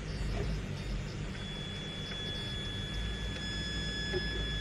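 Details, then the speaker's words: Traxxas TRX4 crawler with D1RC/Hobbywing Thor 1800KV brushless motor under load at low speed: low drivetrain rumble with thin steady high whine as motor forces out torque; cause of whine uncertain. "nah salah satu ciri khas motor brushed ya kalau kita mandi lo torsion itu saya ndak tahu ya entah suara Lesti atau suara motor tuh ya seperti berdenging gitu ya"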